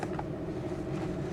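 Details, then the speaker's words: Nissan Z idling before a drive, after adjustment, at about 750 rpm, within the specified 700 plus or minus 100: smooth, even low idle rumble with a steady pulse, no misses or knocks. "it a much better idle speed now about 750 which it should according to the manual and according to the sticker that's underneath the hood"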